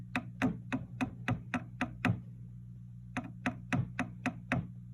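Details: Fender '67 Bandmaster amp tapped with a chopstick, both channel volumes off and the vibrato switch disconnected: sharp taps about four a second, each setting off a brief low hum and rumble. A microphonic or loose internal connection is suspected.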